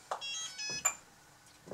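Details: Bruder MAN TGS RC truck conversion, switched on at its power switch: two short high electronic tones at power-up in a quiet room; the speed controller's normal arming beep.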